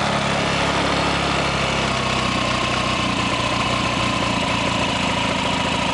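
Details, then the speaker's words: 2003 Honda Ruckus scooter that sat for years, with a clogged carb, after fuel drain: a cold, not-yet-warmed single idling fast and unsteady, beat wavering instead of settling. Rough idle. "back off the idol now let's ahead it all jacked up because they wouldn't idle well definitely not warmed up yet"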